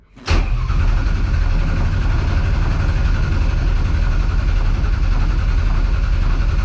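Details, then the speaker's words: 1200hp Ford Taurus race car at 75 psi fuel pressure, cranked to build oil pressure after crank trigger trouble: starter catches, then steady, even churning for several seconds, no knocks or scrapes; healthy cranking. "So we want to crank this thing over until our oil PSI right there moves. Hopefully it sounds good."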